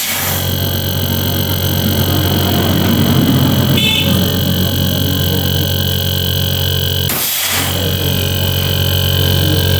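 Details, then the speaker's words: Newly installed replacement refrigerator compressor with overload and relay fitted, switched on to check for dirt, oil and pressure: a steady low hum with an even mains drone and constant air hiss from the open line; runs normally. "কম্প্রেসারটি এখন চালু করলাম। এই যে সংযোগ দিচ্ছি, চলতেছে।"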